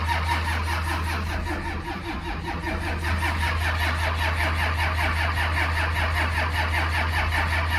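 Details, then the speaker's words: 12-valve Cummins diesel in a 1949 Chevy cab-over truck, sat a few months under two feet of snow at about minus five degrees, with no preheater: slow, labored cranking about 2.5 compressions a second with only a few catches, puffing soot. "go uh well she's firing a little bit so there's a chance look at all that soot and give it a minute here to let that starter cool down"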